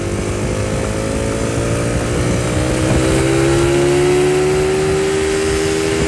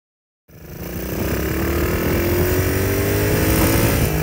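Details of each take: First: Small petrol engine running smoothly after fixing detonation, revving up and settling with no knocking or pinging; the knock had come from advanced ignition timing due to a mismade stator plate and/or flywheel, corrected by repositioning. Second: Clear detonation sound that I thought was do to a loose connecting rod turned out to be from a mismade stator plate and or mismade flywheel resulting in an advanced electrical timing and a firing too soon the caused the detonation/ knock and ping sound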